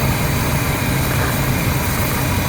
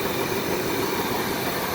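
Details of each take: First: Older RV with a 454 gasoline V8 and carburetor, idling, with backfiring and poor acceleration: low, rumbly idle that drops about 150 rpm when brake cleaner is sprayed at one side of the carburetor base, indicating a vacuum leak there. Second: RV with 454 engine that had backfires and poor acceleration, after replacing the leaking carburetor gasket: steady, even idle with no drop in rpm, no sag or hunting, smoother than before; normal idle.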